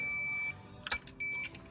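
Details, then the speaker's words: 1956 GMC Model 100 (NAPCO), setting initial timing with engine unpowered, balancer at 5° before TDC: meter continuity buzz across closed points holds, cuts out, returns and stops again as distributor rotates; the break marks timing. "wire so the points are just breaking ground so if you watch here when I touch this to just anywhere on this plate it makes contact back and as I rotate this distributor around it breaks the the ground when it breaks the ground then it stops the buzz"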